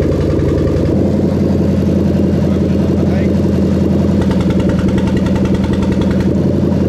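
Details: Toyota Crown 3UZ-FE VVT-i V8 with adapted plug-and-play harness for a Lexus IS200, 6-speed automatic, zero fault codes: steady, even hum with a smooth low drone, no knocks, misses or ticks; running cleanly.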